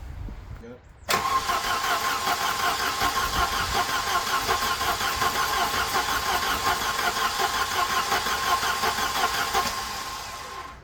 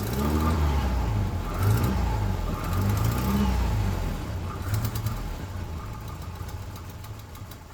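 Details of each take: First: Volvo 240 on its first start after an engine replacement, carbureted, no coolant in yet: fast light tapping about three a second over the idle, which sounded unhealthy though the oil was full and clean; detonation ping from incorrect ignition timing. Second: Volvo 240 after engine swap, new spark plugs and distributor adjustment: engine catches, revs briefly, then settles to a smooth, even idle; the earlier pinging was detonation and is now gone, running normally.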